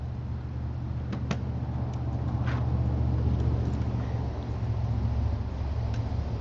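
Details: 1985 Chevrolet Monte Carlo SS V8, sat 14 years, now a daily driver, cold start with broken electric choke: deep, lumpy, uneven idle; burns oil (valve stem seals).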